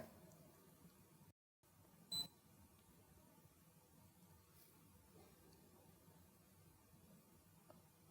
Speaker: so there you'll hear a beep when you go beyond the lower limit